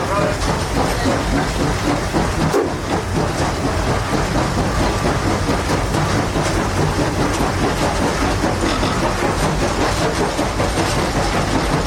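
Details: Real-world steam locomotive example showing four chuffs per revolution: steady rolling chuff with rail clickety-clack underneath, four even exhaust beats per wheel turn. Normal, healthy locomotive exhaust.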